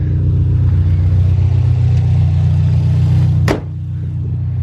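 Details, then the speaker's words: Subaru STI after fixing a P0300 misfire code, first road test: smooth, even engine note pulling steadily under acceleration with no stumble or missed beats; misfire counts all zeroes; runs clean and healthy. "but she sounds good she sounds real good guys"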